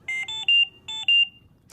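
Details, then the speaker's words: Trilogy ventilator high priority alarm: three quick rising beeps, a pause, then two more, while the audio pause button flashes red. "three beeps followed by two beeps at the same time that the alarm sounds the audio pause button on the front of the ventilator flashes red"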